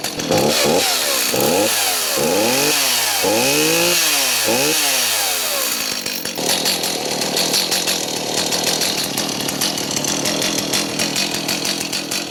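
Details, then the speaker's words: Stihl MS290 chainsaw after fuel line replacement to fix a gas leak, test-run outdoors; blips through several quick revs then settles into a steady high buzzing run with no stumbling; normal running. "so at the end of any repair I'd like to take the equipment outside just start it up and make sure everything is okay"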